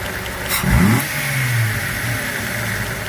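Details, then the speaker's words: 2004 Jeep Grand Cherokee WJ after cleaning gummy throttle body; short throttle blip then steady even idle without hunting or dying, normal idle. "But it already seems to be idling, and it hasn't died so far."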